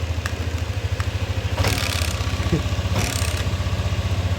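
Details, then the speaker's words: Yamaha NMAX V2 scooter after repair of a crushed cam bearing and new gaskets and O-rings: even low putter at idle with only a light phone-holder rattle; engine now quiet, cricket-like noise gone. "Alri so ito na okay na ang tahimik naman sir. Okay na tahimik."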